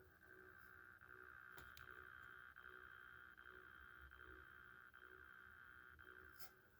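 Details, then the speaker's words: N scale DCC model train locomotive, a few years old, running on track with a thin steady buzz pulsing about once a second; no speakers, source of the buzz unclear. "some of them only have limited but if we run it right here makes a weird buzzing noise listen to it"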